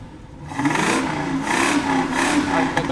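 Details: 1968 Ford Mustang GT coupe V8 during a pre-purchase inspection, just started with a little puff of smoke, no misfires heard; three quick throttle blips, each a clean rising and falling roar dropping back cleanly; normal free rev.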